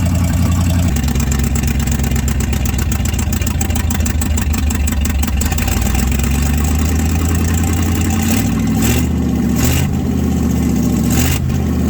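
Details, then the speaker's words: 1967 Chevrolet C50 V8 truck, sat about nine years, warming up on choke: deep, steady rumble with one brief rev rise, firing even with no miss; running normally, though the missing passenger-side exhaust donut still ticks. "not bad not bad at all well she fired up and she ran quite a while"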